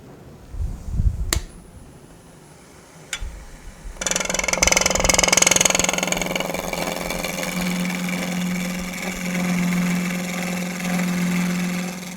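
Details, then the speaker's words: Wood lathe, skew chisel cut after the drive spur loosened slightly under cutting force: steady cutting hiss with a low drone building underneath as pushing makes the workpiece bow out; workpiece vibration. "Can you hear that vibration? Part of that's because I'm pushing, it's wanting to bow out a little bit."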